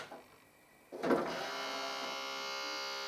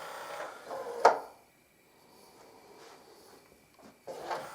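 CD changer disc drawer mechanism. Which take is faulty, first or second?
first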